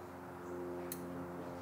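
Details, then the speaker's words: Mecpow X4 22W laser engraver after gantry realignment; two small crisp clicks about three-quarters of a second apart over a quiet hum as the carriage hits its limit switch and homes; normal limit switch click. "you hit a little click you may not but it's clicking and that sounds good that's how we know we are good to engrave"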